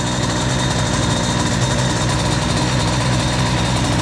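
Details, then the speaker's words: Cold 2Fast 70 two-stroke moped, brand-new cylinder with Boost crankcases, during break-in warm-up: thin, uneven, ragged idle that barely wants to fire, running lean at idle. "Elle est un peu pauvre au ralenti. Ça s'entend là. Elle a du mal à péter."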